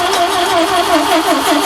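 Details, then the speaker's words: Ford Capri donor car that sat about 15 years, with spark present: steady cranking with rhythmic chuffs of air puffing back out of the carburettors and no firing; suspected out of time or an intake valve stuck open. "crank it over for me you have spark uh well it's not backfiring out of the carb yet but it's breathing out of the carbs we've got stuck in"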